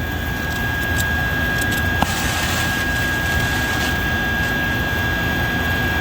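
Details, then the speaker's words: Oxy torch relit after cleaning the dirty tip with a tip cleaner, oxygen on: steady even roar, solid flame with no popping or sputter; problem was just a dirty tip, fixed by cleaning. "and it's a solid flame so just a dirty tip but you got to make sure you clean them"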